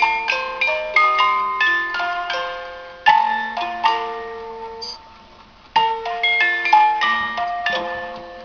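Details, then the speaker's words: Antique German music box alarm clock, probably from the early 1900s, reassembled after repair, with the alarm playing. A bright, tinkling comb melody plays evenly with no drag, stumbles or rasp, a normal music box alarm. "But anyhow, there it is, a music box alarm clock from Germany"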